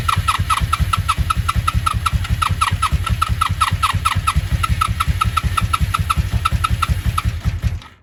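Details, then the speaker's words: 1983 Honda V45 Sabre VF750S, battery now charged, starter solenoid jumped directly: starter spins it over and it catches straight away, holding an even beat; starter and engine fine, so dirty starter button contacts are suspected. "okay well she definitely works so we're going to do this I'm going to get her to warm up and get her running"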